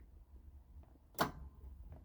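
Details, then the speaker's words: MG Midget EV conversion with 30 kWh battery, key turned to position two: one sharp click from the main contactor under the hood, then quiet background; contactor closes normally and the controller is powered. "heard that click that wasn't in here that was the contactor under the hood so I know the contactor is closed and the controller has power now"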